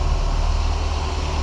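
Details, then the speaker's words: VAZ 2108/2109/21099 running after timing belt roller replacement and alternator belt retensioned; steady even low hum with no whistle or chirp at idle; normal belt running. "сейчас завел двигатель покажу вам как к ремень должен работать на заведённом"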